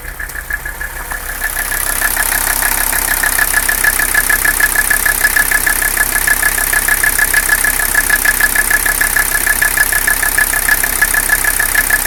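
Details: Mercedes 300CD diesel at idle: steady clatter with a loping, uneven beat about one and a half times a second; engine noise and rough idle, cause not yet diagnosed.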